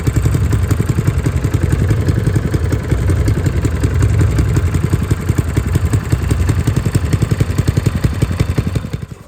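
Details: Honda GX160 single-cylinder on a Logic MSC120 sweeper after a full service, including the air filter and a new spring: steady, even putter with no clacking; running much better, normal.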